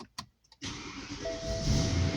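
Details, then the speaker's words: Stock 2008 BMW E92 M3 with the S65 V8 and stock exhaust, started without pre-ignition. A quick crank catches at once into a steady, even idle; the loud metallic chunk on start is normal. "the initial start even the stock exhaust will sound violent [Music] this metallic chunk metallic noise"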